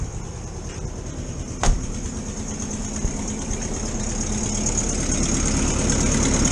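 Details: 1973 VW T2 camper flat-four, started after a valve clearance check and about two weeks unused: an even, steady low chug settling into idle with no knocks or rattles; healthy idle.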